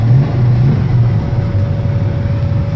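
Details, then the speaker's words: 1971 Plymouth Roadrunner, original V-code 440 Six Pack, cold start at about 55–60°F: it fired on the first try with no pedal pumping, then settled into a deep, steady V8 burble with no misses or knocks, a healthy idle. "It will fire up without issue. I didn't have to pump it or anything. I just hit it once and boom, fired right up."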